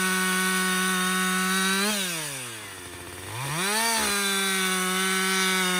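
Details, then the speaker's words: Husqvarna 562XP 60cc chainsaw, after a dealer reflash of its software for dying when hot and stumbling, bucking windfall: strong steady howl bogs as the chain bites, recovers cleanly to full revs; normal under load. "so far it's running great um I've got I'd say about I don't know two-thirds of a tank gone but listen this is real world practical use right 60cc saw bucking up some windfall"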